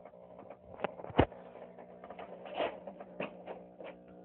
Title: Power Jack inverter 6000 making Popping noise